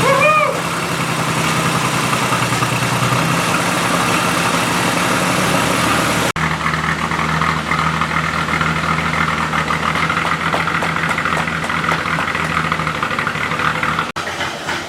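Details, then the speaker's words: 1937 Chrysler Royal Imperial barn find, flathead six, single-barrel carb, after sitting about 40 years, restarted after adjusting points and distributor timing: steady, even idle with smooth low thrum, no misses or knocks; runs healthy. "all right so we got the car to idle [Applause] it's idling nicely"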